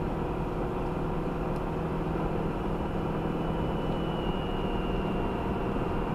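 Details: 2018 Subaru Outback 2.5i Premium, 28K miles, first drive of the day at about 10°F; thin high whine over low engine hum, RPM-dependent, only at cold idle and slow acceleration or steady speed, stops off throttle; source unknown.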